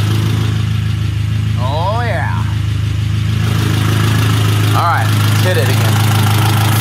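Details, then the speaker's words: 1972 Toyota Celica 18RC with Weber 32/36 carburetor, hot engine after valve adjustment and mixture/idle tuning: smooth, steady idle with even low hum, no misses or knocks. Sounds real good; normal idle. "again oh boy oh yeah Dale sounded real good"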